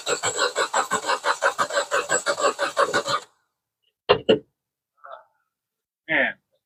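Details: 2010 Jeep Patriot after a blown-fuse electrical short and a relay swap: the starter cranks steadily about six strokes a second for three seconds, never catches, then cuts out. The fuse blew again, and the cause of the short is still unconfirmed.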